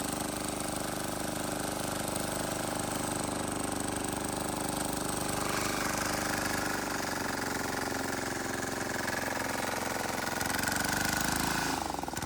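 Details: Wheel Horse 314H tractor with a swapped cheap Chinese diesel on its first test drive: even, unbroken clatter under light load with no knocks or misses. Running healthy.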